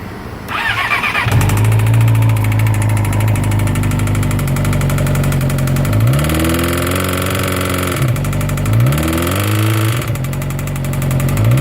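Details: 2012 Yamaha R6 starts, idles and blips throttle with a deep knock under the exhaust beat; suspected spun bearing/connecting rod knock, hopefully something less serious, unconfirmed.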